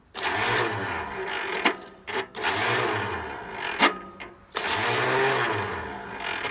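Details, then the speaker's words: Engine from a newly bought RT10 Roper, seller claimed it runs, started on carb cleaner with no ignition switch by jumping battery cables: three short cranking bursts with a rough grind, whirring up and sagging. The starter is faulty and its drive is slow to disengage. "Tough when I'm trying to do this with the battery cables. It has no ignition on it, so. Starter's definitely messed up."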